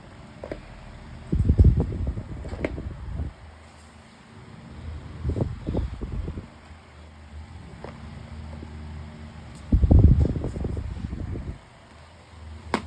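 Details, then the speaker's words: 12-inch Climate Keeper oscillating table fan after cleaning, running on high speed: low rushing air swells and fades as the head sweeps past, motor underneath steady and quiet; spins faster than a similar motor, running normally. "Um, it probably has the same motor as the Ponus, but it actually spins faster."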